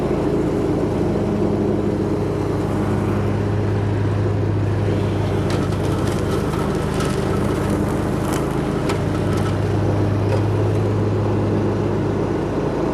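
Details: Hustler Raptor SD zero-turn mower after deck and spindle rebuild for thrown belts: steady, even low drone with no knocks, misses or surging; engine running smoothly.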